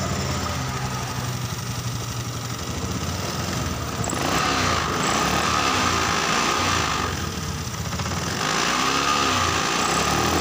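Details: Honda Beat FI scooter after repair: stalling and hesitation caused by a broken wire, not the suspected sensor; now idles steadily and picks up cleanly on throttle blips without stumbling.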